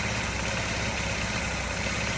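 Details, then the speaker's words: Old Honda Elite 80 scooter after oil change and reassembly: single-cylinder idle surges unevenly instead of settling; owner suspects the idle air adjustment screw and its O-ring and adjusts it looking for a sweet spot. "okay while i was charging i went ahead and changed the oil and you can hear it's kind of surging i think my o-ring this screw adjustment here is a little bit this is the idle air spur"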